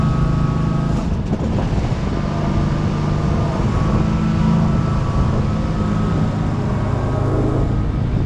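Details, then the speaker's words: 2003 Wright Stander, 23 hp Kawasaki V-twin, after being reconnected correctly and adjusted: steady, even drone with no misses, knocks or surging. The engine sounds healthy. "So figuring it out here, and I get it working just the way it's supposed to."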